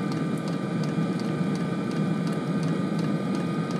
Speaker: it's the the fuel pump's kicked over in a fast burn now